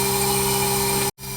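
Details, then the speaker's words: New 2-ton Bosch inverter heat pump replacing old Trane leaker, cooling after install: low steady hum with faint even whine, no rattles, barely audible; normal running. "Man. What a flippin' beauty. Barely hear it running."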